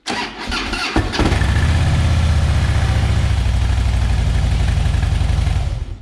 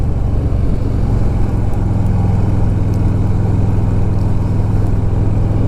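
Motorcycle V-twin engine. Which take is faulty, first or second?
first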